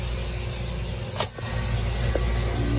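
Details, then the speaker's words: Walk-in freezer, newly installed replacement 3-pole 208 V contactor: one sharp clunk as it pulls right in, then steady hum of compressor and fan running; normal engagement. "there. Just pulled right in. We've got compressor, we've got fan."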